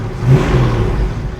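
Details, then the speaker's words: Mercury Cougar with new 2¼-inch Mustang H-pipe exhaust after a drive around the block: short deep smooth rev, mellow and fairly quiet, no rattles or blowing leaks; normal exhaust note. "It's got a good sound to it, nice and quiet, pretty mellow."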